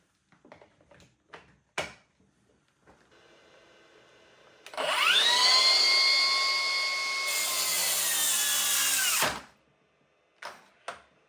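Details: Milwaukee M18 FPS55-0P track saw cutting just under 50 mm oak, battery fully charged (DeWalt 5Ah via adapter or M18 5.5Ah High Output), no dust extractor: high motor whine sags and changes tone as the blade bites; bogging under load.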